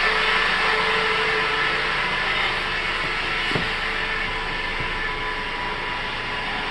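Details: 2005 Mitsubishi Outlander 2.4 L 4-cylinder, manual: thin steady whine over engine and road noise, rising in pitch and volume with RPM in or out of gear; alternator replaced with no change; owner suspects a belt pulley, source unconfirmed.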